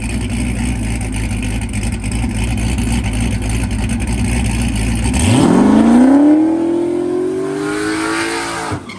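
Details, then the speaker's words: Turbo LS-swapped SN95 Mustang with new motor and heads, Holley EFI, Powerglide, second track test pass: V8 loads on the brake, then revs climb slowly; turbo seems lazy spooling off the line, later passes went worse. "do not bad it seems a little lazy getting on the chip"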